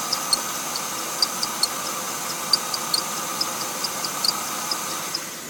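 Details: Mercedes-Benz engine at cold morning start-up with sharp, high chirps about once a second over a steady hiss; squeak disappears after about 10 minutes, suspected weak belt tensioner pulley or idler pulley, not confirmed.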